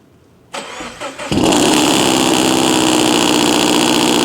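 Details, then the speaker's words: Lexus LS400 starting after air suspension strut work: starter turns about four times a second, then catches into a coarse, rattly idle that sounds horrible; harsh-sounding engine on start-up, cause unclear. "dark in my [ __ ] life okay calm down a little bit holy [ __ ] that sounds [ __ ] horrible [Music] absolutely disgusting"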